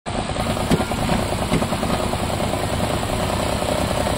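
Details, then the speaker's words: Nissan Versa 3-cylinder with 271,000 km: uneven, shaking idle with sharp pops, weak running and high fuel consumption; a misfire from a burnt exhaust valve. "Carro está falhando, fraco, muito fraco. Funcionamento horrível, consumindo muito combustível."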